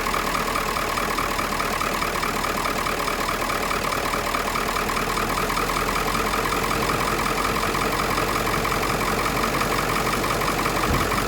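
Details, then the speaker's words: Ford 7.3 Powerstroke diesel with 430,000 miles on a replacement engine, started stone cold at 57°F from a NOCO GB150 jump pack with no batteries: an uneven, loping diesel clatter at idle; rough idle. "the truck is you can hear it loping and stuff it's not it's not a new truck it's it's an old truck"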